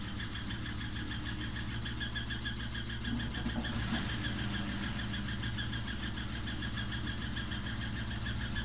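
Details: Samsung WW5300 (WW95T534CAE) washing machine on its second use, bought as an outlet item, very loud from the beginning. It makes a steady loud motor hum with a rough mechanical drone throughout; the cause is unclear.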